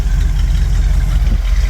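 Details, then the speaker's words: 1979 Ford E-350 Chateau RV, 460 V8 with dual exhaust, after repairs and light tune; needs electric choke and likely old fuel: deep, even burble with no misses or knocks; normal idle. "so listen to that 460 yeah one exhaust two exhaust dual exhaust she sounds really good"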